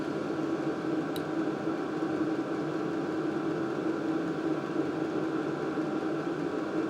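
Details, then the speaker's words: LDHTHOPI diesel heater for winter camping turned from mid setting up to max temperature, slowly ramping up with fuel pump clicking faster; steady, unbroken fan rush and constant low hum, no rattles or surging; normal running at high output. "so I'm going to put it all the way up to Max temperature and it's going to slowly start to ramp up I can hear that that fuel pump clicking more"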